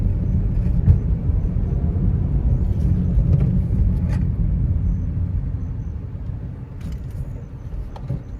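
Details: Manual Nissan Almera on test drive after repair of an underbody suspension clunk: only tyre and road rumble over the rough stretch, a few soft bumps, no metallic clunks; suspension clunk fixed.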